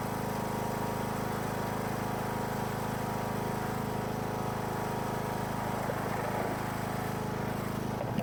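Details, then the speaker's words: Husqvarna riding mower after replacing deck spindle and pulley, belt refitted: engine runs with a steady, even drone, no knocks or squeals before shutting off; mowing works great, belt tight. "I just got done mowing a few little passes, and everything seems to be working great."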